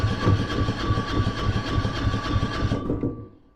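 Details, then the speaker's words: Kipor 6700TA diesel generator, Yanmar L100/186F engine, with new head gasket, piston, rings, battery and starter: starter chugs about three and a half beats a second with a thin whine, never fires; cranks but no start, failed-start warning. "we get the crank but no start and it comes up start delay. We get the warning lights there which says it's a failed start and then the service lights on."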